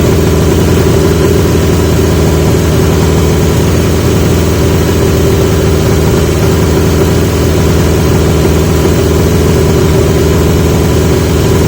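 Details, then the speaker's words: 1980 Yamaha XJ650 with new (old) pipes; steady fast idle that never drops; idle screw backed off fully, not touching the plate, carb throttle plates not closing fully; owner wonders if needle height is the cause. "so that's definitely a carb issue that it's not pushing it's not closing all the way back"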